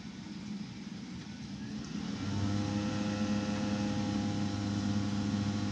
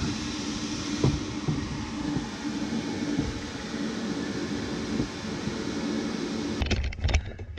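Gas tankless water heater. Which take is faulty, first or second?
first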